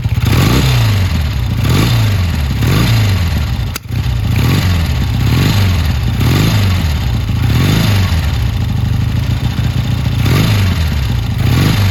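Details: Triumph T140 twin, hard to start, dead battery, oil pretty low, lots of smoke: repeated throttle blips roughly every second rise unevenly and fall away raggedly, struggling to settle. Runs rough, cause unconfirmed.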